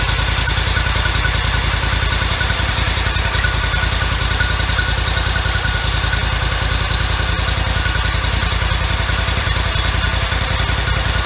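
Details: 2004 Toro Z553 mower, Kohler Command CH23 23 hp engine, 453 hours, after replacing PTO-side oil seal, some bolts left loose: fast, even, steady pulsing with no misses or knocking; runs smoothly.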